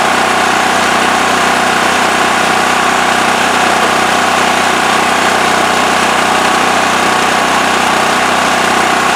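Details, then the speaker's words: Westinghouse WH7000EC 7,000 W electric-start generator running with the plugged spark arrestor removed: steady, even buzzing drone without hunting at no load. Normal idle. "All right, so it's running pretty good, as you could see."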